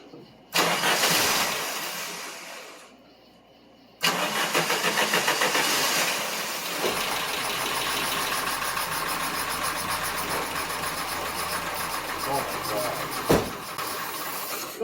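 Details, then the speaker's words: Dodge Dakota parts truck, cold start after priming with fuel: short crank, catches fast and settles to an even idle with no top-end ticking or clatter. Earlier noise gone; normal idle. "is gone noise is completely gone yeah Barrow you're so damn smart you saved it bud"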